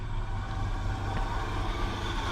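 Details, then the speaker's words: 1969 Chevy truck, old engine revived after sitting about 30 years: now settles into an even steady idle with low rumble; earlier noise suspected as dead miss or rod knock has gone. "she's running see that that noise that was in it i thought was either dead miss or maybe a rod knock has went away and she's running smoother and smoother she actually idles now"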